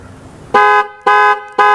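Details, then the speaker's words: Jeep Liberty horns sounding with panic button after new fuses fitted: three crisp, equal half-second blasts, steady clear pitch; all horns work, so relays and fuses are good, fault pointed to the clock spring; normal horn operation. "as you can see we do have all horns they do work this means the relays are good the fuses are good"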